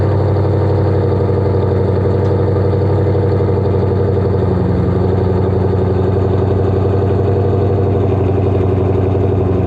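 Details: Ford GT500, about 700 wheel horsepower, newly catless exhaust with Kooks X pipe, first startup after reinstall: deep, loud, steady burble with even lumpy pulse, no knocks or ticks; V8 idles smoothly through open exhaust, normal idle.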